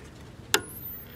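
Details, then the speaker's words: 1970 Sony Trinitron KV1210 powered through a 50 W light bulb: a sharp crackle, then a thin high whine rising in pitch. Normal CRT crackle and horizontal oscillator starting. "oh i hear crackle cracklage and i hear the oscillator starting hear that"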